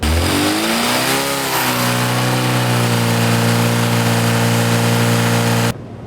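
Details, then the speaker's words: Rebuilt Classic Mini 1380 engine, hot, head retorqued to 50 ft-lb, tappets at 15 thou, timing in a safe running-in position: climbs smoothly to a steady, even high-rev drone under full load with no knock or pinking; healthy. "Now we're on full load. We'll listen for the Right. sound."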